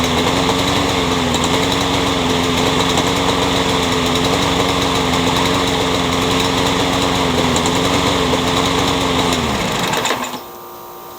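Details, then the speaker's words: Curb-found Troy-Bilt 21-inch self-propelled mower, blade having hit a railroad tie, crankshaft end filed to fit: rough uneven chugging, then it dies; owner feels crankshaft play and suspects a bent crank. "it feels like there's a little play in the crankshaft I wonder if whoever owned this if they used it with a bent crank"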